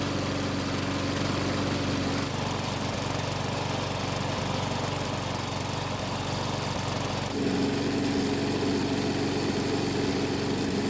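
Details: Mower with a new primer bulb, topped-up oil and fresh ethanol-free gasoline. A steady, even single-cylinder chug at constant speed with a smooth exhaust note and no knocks or misses, running healthy.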